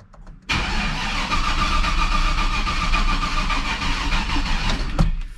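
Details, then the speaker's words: Turbo Silverado on Holley EFI, about 900 hp: starter drags for about 4.5 s and never catches; slow cranking from a dead battery. The charger was left off overnight, and a parasitic draw is suspected. "battery's dead again i meant to leave the charger on this thing last night and i forgot"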